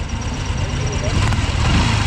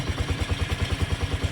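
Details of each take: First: Honda CX110 single-cylinder, newly overhauled yet knocking, after rework with exhaust and engine refitted: small single blips rise and drop cleanly with no knock or rattle; knock gone, engine sounds healthy. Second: Honda CX110 single-cylinder, recently overhauled with new connecting rod, side bearing and cylinder block, yet still very noisy: loud even knocking about eight per second, heavy mechanical bottom-end knock.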